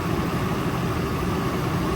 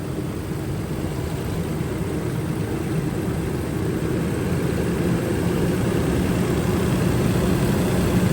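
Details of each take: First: Nissan petrol engine at idle during scan-tool cylinder deactivation test for P0300 misfire; idle speed rises slightly when a cylinder is cut, showing that cylinder is healthy. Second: Nissan engine with ignition coils, P0300 random misfire, idling: unplugging cylinder four's coil connector causes no change, idle stays low, slightly uneven and steady, so cylinder four is already dead and misfiring.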